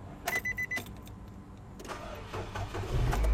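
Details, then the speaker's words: A car crank test on an old battery gives a few clicks, then a slow, uneven, dragging crank before firing. Cranking voltage drops to 6.06 V, below the 9.6 V threshold, so the battery is bad and must be replaced. "Okey, low power. Kita tengok pada cranking 6.06 volt saja. Dan terbuktilah bateri ni memang dah tak elok, memang kena tukar lah."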